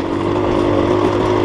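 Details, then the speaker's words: Two-stroke dirt bike with a Rekluse auto-clutch on a long steep downhill, throttle blipped: steady even overrun drone, no misfire or popping; normal engine braking while speed rises. "Still engine braking on this downhill. Just going faster."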